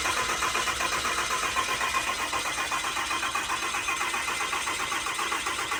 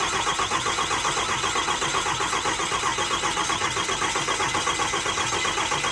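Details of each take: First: 6.4L Cummins diesel just installed in an 07 quad cab, cranking with injectors unplugged to build oil pressure, so it won't start: even starter whir, steady pulses about 2.5 per second, no knocks or grinding; normal cranking. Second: 6.4L Cummins diesel just installed in an 07 quad cab, first start attempt on old tuning: cranks evenly about four turns a second for eight seconds, never fires; crank no start, cause unknown.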